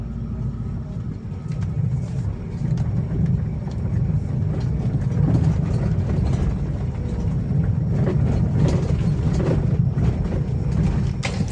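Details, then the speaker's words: 2012 Toyota Avanza on a test drive over rough road: irregular low rattling knocks under heavy road rumble, coming with bumps; a worn front stabilizer link, which vibrates hard when held. "ini ada ini adalah suara dari stabil Link ini dia dan apabila dipegang ini akan terasa ada getaran keras sekali"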